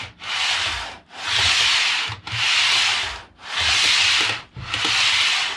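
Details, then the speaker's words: Hornby APT model train coaches, which had developed a high-pitch wheel squeak, after cleaning the wheel contact surfaces, pushed back and forth by hand: soft even rolling hiss, no squeal; smooth wheel rotation. "that sounds uh pretty smooth so i'm going to keep doing this"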